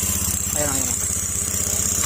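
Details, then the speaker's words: Honda Beat FI scooter kick-started because of a weak battery, with an odd engine noise said not to come from the crankshaft and appearing once running; steady hum with a constant hissing scrape, sounding like the kick-start gear rubbing the CVT drive face. "Kasi kakaiba yung tunog niya hindi do sa rakam hindi sa segunyal"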